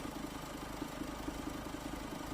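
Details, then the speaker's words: Ford at idle with a rough, pulsing rumble from the V-belt area; the alternator pulley visibly wobbles, suspected seized or broken; belt to be removed and checked on the lift. "Aracımızın şarj namamı kasnağında yalpalama görüyorum şu anda. Zannımca bu şar namı kaslağı kitlemiş veya dağılmış durumda. Bundan dolayı ses yapıyorum."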